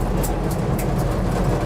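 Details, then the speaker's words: 1967 Ford F100 on the road after 30+ years; lugging in third gear at about 25 mph, deep steady rumble pulling without spitting, popping or sputtering; engine running well. "there third gear we're lugging it we're probably going about 25 so it's it's lugging pretty good which is usually kind of where I judge how well an engine's running or how well your tuneup is"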